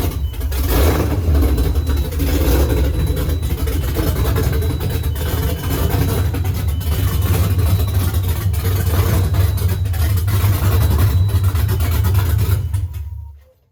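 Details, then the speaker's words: First start of a 5.7 Hemi (Gen 3) swapped into a 1970 Challenger, Holley Terminator X ECU, long tube headers, dual Flowmaster mufflers: lumpy, uneven rumble that surges and sags then cuts off; rough idle, owner unsure if cam or idle screw/unplugged sensor. "and it definitely sounded like it had a cam. I don't know if that's because it's running rough, I don't know, or if that's just how the cam sounds, which sounds kind of awesome."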